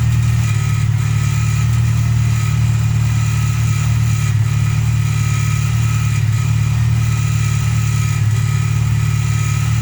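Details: VW Polo Playa after replacing the snapped distributor wiring loom that caused no spark: steady, even low hum with a smooth, unwavering beat and no knocks or misses; clean normal idle.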